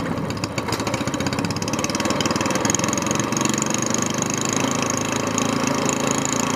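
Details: Single-cylinder longtail mud motor, still cold, freshly filled with 10W-30 Royal Purple synthetic plus BestLine engine treatment, runs at a steady fast beat, picking up slightly and holding even; healthy, normal running.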